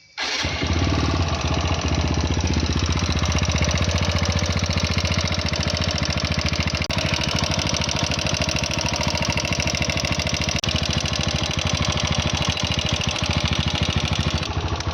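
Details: TVS Apache RTR 160 4V at 41,000 km: fast metallic clatter from the cylinder head riding on the idle throughout. A tappet was first suspected; teardown found piston slap with a worn, failed intake rocker arm bearing.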